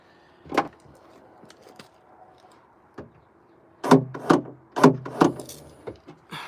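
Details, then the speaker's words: Nissan Note rear hatch latch rechecked during wiring repair: a few sharp clunks in quick pairs; latch actuator cycling normally and firmly. "Actually, before I keep doing this, I'm just going to make sure the latch is working."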